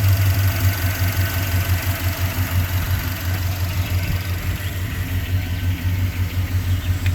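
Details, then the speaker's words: 1989 Jeep Grand Wagoneer, freshly rebuilt AMC 360 V8 with Holley 2300 EFI fuel injection, new rear main seal, 136,949 miles, hood raised: deep, smooth, very quiet idle pulse about three beats a second, no ticks or knocks. Normal idle. "And this engine's very quiet. We've added a lot of air conditioning components, a lot of new parts."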